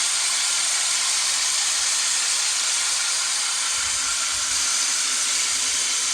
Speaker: when I applied that lopping compound it changed the sound of the the reel it kind of made a greedy grinding sound and it kind of got smoother and smoother as it went